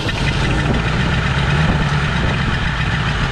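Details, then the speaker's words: 1984 Ford Thunderbird 5.0 V8 that sat for years, running on fuel poured into the intake. A deep, uneven rumble keeps going only while the throttle is held, and it later backfires; it runs only on poured fuel and needs throttle. "isn't that old motor run y'all that i mean you got to be hitting the foot feed some it's not letting it go in there"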